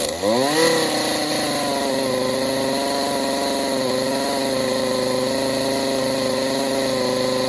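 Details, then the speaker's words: Stihl MS 192T two-stroke chainsaw that won't idle or rev up: revs briefly, then holds a strained, buzzy note; spark arrestor screen about 80% clogged. "Let's just check that spark arrestor screen. This screen is probably 80% clogged."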